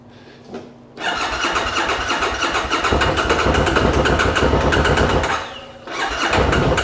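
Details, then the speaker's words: 2013 Bennche Spire 800 side-by-side, cranking problem fixed, fuel pump priming heard: starter spins engine very fast for several seconds with ragged, uneven firing that never settles; cause of not running not yet found. "But it's definitely cranking over really fast, but something seems not to run right."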